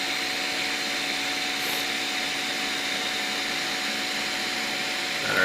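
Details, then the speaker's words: Piocreat G5 pellet extruder 3D printer after speed was lowered from 200 to 150 to stop stalls: steady even whir with high hiss, no skipping clicks; extruder stepper running smoothly without stalling. "I'm not hearing any extruder stepper stalls we're cruising now nice"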